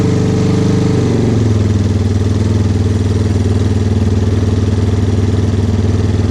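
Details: 2001 Yamaha Warrior 350 single-cylinder ATV, revived after carburetor work, stator replacement restoring spark, and an oil refill: it catches, revs briefly, then settles into a steady, even idle thumping about four beats a second. Normal idle.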